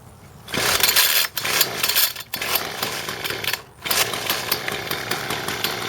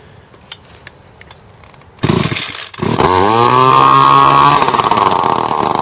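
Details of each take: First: John Deere S1400 two-stroke weed eater with good compression that runs but bogs when throttled: after the choke is taken off it buzzes and revs in short bursts, very quiet and choked, from a clogged muffler restricting exhaust. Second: John Deere S1400 two-stroke weed eater that bogged on throttle, run with the plugged muffler removed: starts after two seconds and revs freely to a loud, raspy, steady scream without bogging, confirming the plugged muffler as the cause.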